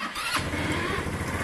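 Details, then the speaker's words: Lexmoto, Gilera DNA or Piaggio Vespa scooter (which one is unclear), new piston, unstarted since Christmas Eve: brief cranking, then it catches cleanly and settles into a steady, even idle; quick, healthy start, idle setting to be checked. "hey there you go lovely um I don't know where I've got the idle at the moment"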